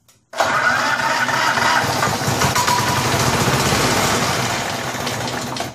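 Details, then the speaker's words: 21-inch Snapper walk-behind mower after a rear drive unit repair: small engine runs with a rough, shaking buzz and rattle under the deck; the blade is clearly bent and chunked, causing vibration and noise; replacement blade needed. "I think what I need to do is go online and try to get a snapper blade for this because it's clearly bent so that's why it's making vibrations and horrible noises and things like that"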